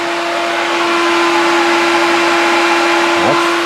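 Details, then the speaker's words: 1991 Porsche 944 S2 with a 6.0 365HP engine swapped in. Its cooling fan had been slowed by resistors to 6.5 V; here it is wired straight to the battery by a jumper, with the MSD supplying ground. A strong, even fan roar with a steady tone and no wobble or rattle; normal full-speed fan. "That's blowing some serious air now."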